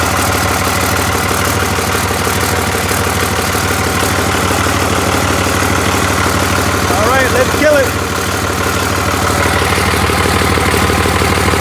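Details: Cummins diesel with VP44 pump, 199k miles, 2000 engine harness rewired to a 99 engine computer after a no-start, running with a temporary intake: loud, steady idle clatter firing evenly with no misses or stumbles; normal idle.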